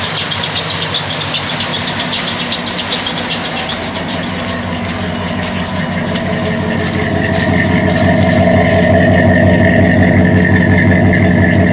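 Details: 1998 Dodge Ram 2500 V8, believed 360 small block, oil burner with headers, running before rebuild after fixing firing order and vacuum leaks: even idle with a faint steady squeak growing slightly stronger; slipping drive belt, considered minor.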